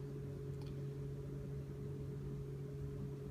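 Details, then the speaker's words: Ford Mach 1 Mustang, key on and engine off while a handheld tuner uploads an idle-speed tune: steady low electric hum and constant whir as the cooling fan switches on; normal fan operation, can be stopped by pulling its fuse. "you can hear the fan has turned on if you don't like the fan running you can pull a fuse for that"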